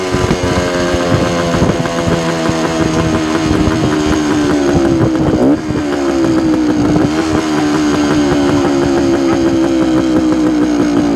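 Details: 1972 Suzuki TS250 two-stroke, with the 170 jet left in for a fuel delivery problem: revs up and settles cleanly with a steady crisp buzz and smooth pickup, no stumbling; sounds more responsive.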